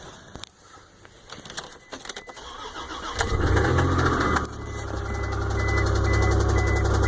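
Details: 1999 Isuzu engine cranks after a few clicks, catches and settles into idle with a steady knock about four times a second; owner suspects worn main or rod bearings.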